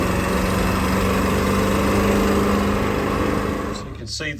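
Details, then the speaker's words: 2000 Ford F350 7.3 diesel at idle, exhaust smell reaching the cabin: quick, sharp clack-a-lac ticking in time with the firing pulses, unlike the wheezy whistle of leaking up-pipes; exhaust manifold leak, bolts breaking, before manifold replacement. "i want to let y'all hear what the exhaust leak sounds like some of this is the up pipes but you usually don't get the clack-a-lac from the uh up pipes you're going to get more of a whistling weird kind of a wheezy soun"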